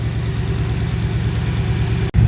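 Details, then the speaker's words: Ford Capri with Mercedes M113 5.0 V8 swap on MaxxECU, about 13.8 AFR, 32 psi stable oil pressure: deep, smooth, even idle burble, no misfires; probably best it has run. "She's running smooth, very smooth. No misfires. Beautiful. That's actually probably the best she's ever run."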